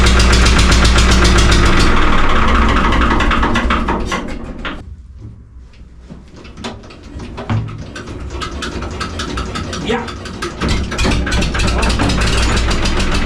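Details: Cold first start of a 3-cylinder Lister diesel on a harbor boat found full of water, including the engine: uneven clatter with revs rising and sagging under heavy throttle while moored, a hunting idle. Owner suspects air in the system.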